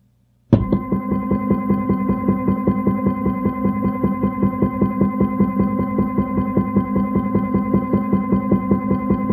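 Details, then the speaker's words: Stepper motor on a step/direction drive, run at full speed with no acceleration or deceleration; it hums and knocks loudly once per revolution from variations in the step pulse stream. "so you hear the motor knocked pretty loud for that plus on every Revolution you'll hear kind of a clicking or a knocking sound if you listen carefully"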